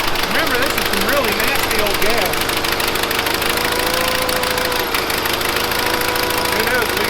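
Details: 1970s Bolens QT16 tractor, long unused, on old gas gravity-fed to the carburetor: runs uneven and lumpy at half choke with irregular beats and hunting speed; carburetor needs cleaning.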